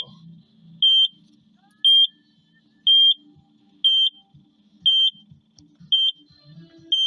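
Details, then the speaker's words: Takeuchi TL12V2 at -30°C, quit while pushing snow; sharp high beeps about once a second over faint idle: SPN 1239 FMI 1 (high-pressure fuel leak) code persists after diesel additive; owner suspects gelled summer diesel, not a real leak. "so stiff and cold in here I'll still throwing code 1239 FMI one"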